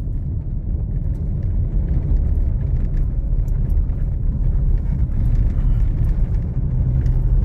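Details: 2021 Toyota Hilux, 88,720 km, while driving: only smooth, even road rumble, no knocks or clunks from the column; steering column sounds healthy.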